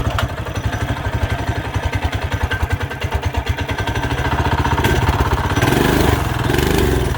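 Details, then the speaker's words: Mini bike single-cylinder with new carb, head, head gasket, coil, plug wire, fuel and exhaust; suspected very low compression or mistimed aftermarket cam: slow lumpy uneven thumping, then rough strained revving, never settling; runs poorly. "we're either so low in compression that she's just not gonna work or there's potential that he has an aftermarket cam in there he didn't tie it properly"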